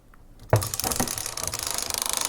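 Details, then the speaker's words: Magnavox D8443 Power Player 1980s boombox cassette mechanism in play after disassembly: clunk as play engages, then fast even clicking about ten per second; a small piece trapped in the cam's inner ring, clicking stopped once it was moved. "I think I had this little piece like trapped in this inner ring of the cam, and I moved it and it doesn't make that clicking noise anymore."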